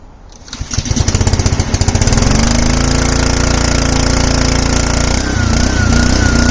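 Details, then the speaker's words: Simpson 3000 PSI pressure washer, Honda GCV engine, long stored outdoors, oil checked: pulls to steady rough run, then dips and wavers as pump loads it, threatening to stall, repeatedly shutting off; owner plans carburetor cleaning. "By now, I'm pretty tired of the pressure washer constantly shutting off. So, I have to call it quick early."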